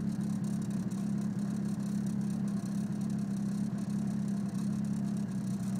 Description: Car seems to be misfiring after the intake manifold install. Codes are p0300 random misfire and p0031 o2 sensor heater circuit low voltage.